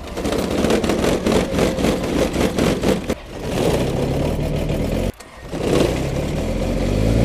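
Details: Kubota diesel tractor, cold start in near 0° snowy weather: sluggish, labouring cranking of about four pulses a second that never catches; it fails to start because of a dead battery, not an engine fault.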